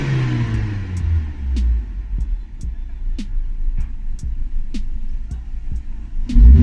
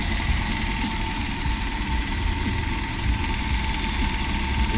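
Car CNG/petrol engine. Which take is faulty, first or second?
second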